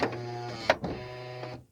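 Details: 2008 Honda Odyssey at about 160,000 miles: rear power sliding door motor hums smoothly for about 1.5 seconds with a couple of clicks and closes normally once the latch arm returns fully.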